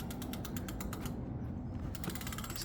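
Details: Brand-new Ducaway Silvertip 8 e-bike coasting without the motor: steady, even freewheel ratchet ticking, no rubbing or grinding; wheel not touching anything, brakes adjusted; the strange noise and vibration appear only with the motor.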